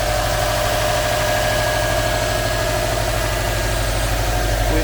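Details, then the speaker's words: 2004 Subaru Impreza WRX STi, one owner, all original, fully cold start at room temperature: even, steady boxer burble at idle over five seconds, no knocks, ticks or misfires; very smooth, healthy engine. "it's a very very smooth cold start on any engine especially a subaru engine"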